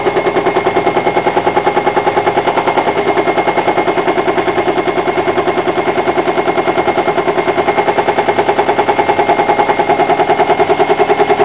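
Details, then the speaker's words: Hotpoint washing machine spinning at 500 rpm; fast very regular knocking, about three thumps a second, which developed at spin speeds above 500; cause unconfirmed, possibly unbalanced load, cracked concrete weight, loose nuts or pulley. "yeah our washing machines developed a bit of a knock-on speed from the over 500"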